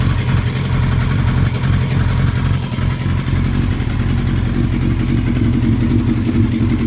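Four-cylinder bike idling and revving with an uneven, lumpy beat and irregular stumbles in the exhaust note, pointing to a misfire. Cause suspected, not confirmed.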